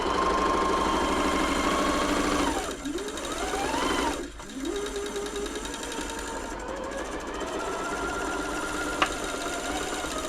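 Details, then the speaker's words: Janome Atelier 6 sewing machine during service, after WD40 behind the hook: even stitching pace with a faint light tick each cycle. Source unclear, hook suspected; owner says it is harmless but tries more lube. "I'm trying to just one of those little sounds that drives me nuts if I can stop it I'm going to stop it if I can't I can't it's not harming the machine at all it's just getting on my nerves"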